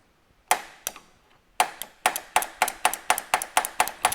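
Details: 1960s VW Beetle 1500 air-cooled engine on the floor, unstarted since 1973, 8000 miles: sharp dry clicks about twice a second with no cranking; the starter clicks but won't turn, possibly a bad earth connection.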